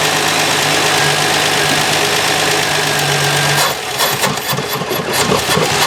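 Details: 1966 Canadian Valiant six-cylinder, not started in 10 years, carb mixture richened: rough, uneven idle with a lumpy stumble, running on five of six cylinders because a spark plug wire was off; fixed by reconnecting it.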